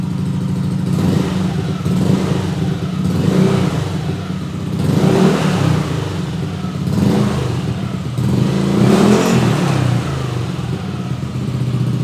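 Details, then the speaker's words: Yamaha Aerox 155 Connected with Pro Liner Neo SR Silent aftermarket exhaust, about 4 months of use, at idle and throttle blips: deep, round bass note swelling and dropping smoothly, no rasp; normal exhaust note, though owner notes internal baffle seems loose and rattles. "Oke, ini adalah kondisi idle. Ini adalah suara bass yang dalam dan bulat. Ini jelas tidak bisa disebut knalpot standar; Ini sangat berbeda."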